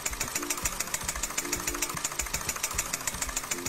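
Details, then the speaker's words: Steady sharp knocking about three and a half per second over a rough-running failing engine; said to mean engine cylinder pressure is too low, cause not confirmed. "it simply means that the engine cylinder pressure is too low"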